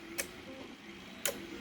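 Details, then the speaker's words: Pilot window motor setup; two sharp, crisp clicks about a second apart as the relays switch range taps (0–8, 8–20, 20–50 V) while the voltage climbs; relay clicks on range change. "So this isn't just something showing up as a digit. This is something that's tripping a relay."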